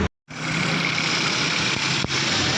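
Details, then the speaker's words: Daihatsu Cuore automatic that stalled and died with AC on, after fixing ill-seated ignition points and fitting new plugs, with a bad coil wire found: steady, even idle with no stumbling or misfire; running smoothly. "माशाल्लाह गाड़ी स्टार्ट है, अल्हम्दुलिल्लाह, शुक्र अल्लाह का। गाड़ी का मैं आपको फ्लो बहुत अच्छा है।"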